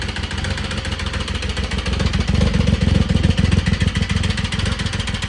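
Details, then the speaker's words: 2006 Triumph Rocket 3 on jumper packs, idling: loud, hard, rapid metallic knocking in time with the engine, seeming to come from the top end; serious internal engine knock, cause not confirmed. "I'm going to start it up. It's going to be very loud and you're going to hear a very very loud metallic uh knocking at idle or a metallic I guess I guess you'd call it a knock."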